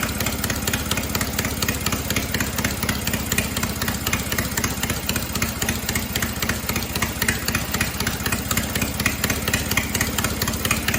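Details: Cub Cadet 482 tractor after an engine swap from an 11 hp Briggs to a 12.5 hp opposed-twin Briggs, with the carb rebuilt, running unmuffled: loud open-exhaust popping at a steady, even beat with no misses or knocks. Normal running, just loud.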